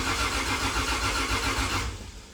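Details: Freshly rebuilt 2JZ in a KE70 Corolla, first crank checking oil pressure: starter drags slowly in an uneven, labouring rhythm; weak battery taken from a VN struggling against the engine's high compression.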